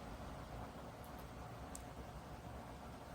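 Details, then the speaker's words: Dreo Pilot Max S 42-inch bladeless tower fan with DC motor at maximum speed level 12: steady rush of air over a low motor hum, no whirring, ticking or bearing noise; running cleanly. "So at this speed you could hear it blowing blowing air and you could hear the uh the motors I mean the motor I should say spinning but at least to my hearing I I don't hear that slight worring or bearing noise that I did in the Pro."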